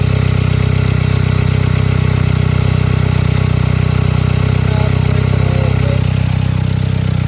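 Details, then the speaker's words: VW Beetle, 115,000 miles, idling after a vacuum leak was plugged: loud raw idle with sharp puffing chatter about four times a second over low rumble; exhaust leak, needs exhaust repair. "Definitely needs an exhaust fixed. That's for sure."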